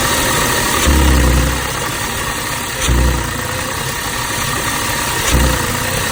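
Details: 2006 Audi A6 idling rough, noticed two days ago along with power loss at low speeds; owner asks whether the PCV valve is to blame. Idle surges unevenly with deep low shudders at irregular two-to-three-second gaps. Cause unconfirmed.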